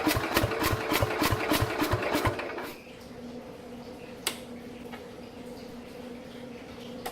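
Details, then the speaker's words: 1969 Bolens 850 tractor, Wisconsin S8D 8¼ hp engine unrun for over 3 years, little throttle and choke: slow chugging crank at about three beats a second with a few weak firings, then dies; owner suspects low compression, something majorly wrong. "It's just like enough to basically help the starter along a little bit, turning the engine over, but it's not enough that it can run on its own."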